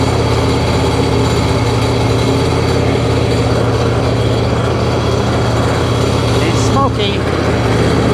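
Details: 2005 Sea-Doo 3D 787 two-stroke, previously submerged, running on hose water after first start with oil in the bottom end: steady, even burble at constant speed with spray noise, smoky, no bottom end knocking; sounds healthy.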